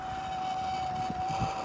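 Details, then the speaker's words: Propane-heated oxalic acid beekeeping vaporizer (vmvaporizer MINI) burner giving a steady clear high whistle over soft hiss with valve about a quarter turn open after 40 seconds preheat; correct flame setting. "you want to turn down the propane to where it's making a whistling sound like this if you can hear it"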